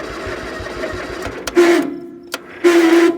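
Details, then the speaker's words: Gravely 20G tractor, first start since November, on a jumper box with a dead battery, choke on, throttle at idle: slow rhythmic cranking thumps and bursts of high squealing whine from a starter needing oil again; dry starter, engine not starting. "the starter needs oil again listen to that come on baby start baby start"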